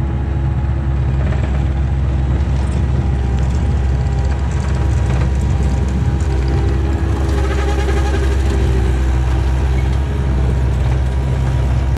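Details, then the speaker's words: 1999 Bobcat 864 tracked skid steer, climbing a hill: loud diesel drone with faint wavering whine, right-side hydraulic drive motor weakening over ten hours, barely moves; hydraulic light and beeping when hot; weak drive motor, later replaced with rebuilt unit. "if you go to turn to the right or go up a hill or even get a scoop the one drive motor just whines and barely won't even move"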